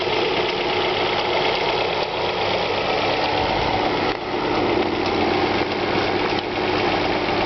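Steady cold idle with a fast, light ticking riding over the engine noise; a top-end tick of unknown cause.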